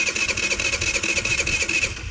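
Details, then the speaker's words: GY6 scooter with stripped, wobbling carburetor idle speed screw pushed down by screwdriver: fast, even starter churning about two seconds with no firing that takes hold; cranks but won't start. "It acts like it wants to start, but it's not. So push it down more. See? It's not starting up."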